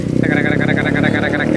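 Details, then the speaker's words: Yamaha Aerox 155 scooter: fast sharp metallic ticking steadily over the running engine; suspected camshaft bearing or rocker arm, pointing to worn rocker arm and camshaft. "ada motor aerox nih suaranya parah banget"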